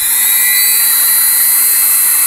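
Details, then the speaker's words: Five-day-old Dremel 3000 rotary tool at high speed: steady piercing high whistle over the motor whine, not present in the first two days after purchase; shaft earlier spun jerkily with runout; cause unconfirmed. "больше тоже уже был слышен такой пронзительный свист которого изначально не было изначально это в первые два дня после покупки"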